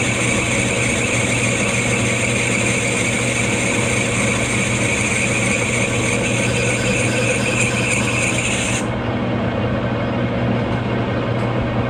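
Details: Lathe machining the new piston and rings for a 1911 Stickney 7HP hit-miss engine; loud, rough bag-of-rocks clatter with a thin squeal on top as it runs steady, from a wobbling lathe drive pulley, not the headstock; not yet fixed.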